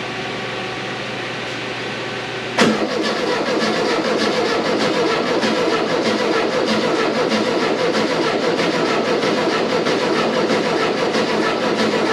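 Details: VW 2276cc air-cooled flat-four in a buggy after new pushrod tubes, sand seal and CV boots: cranks briefly, catches at once, steady even idle with no knocks or misses; normal start and idle.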